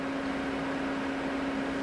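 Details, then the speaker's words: 1985 Toyota pickup swapped from 22RE to 5VZ-FE, electric radiator fan tested with key on: an even mid-pitched whir and airflow rush with no rattle, running smoothly on high and slightly vibrating the truck. "so it's uh test at the fan low you hear it and high well it's actually like vibrating the truck slightly"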